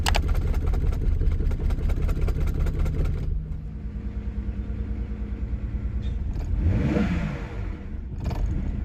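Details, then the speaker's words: BMW 328i starting after battery replacement for no-crank no-start, with old fuel: uneven stumbling idle with a lumpy beat, then a ragged rev blip; rough running, smoking at first, owner suspects old gas and oil burning off. "man running rough but get getting there something burning little bit might old oil"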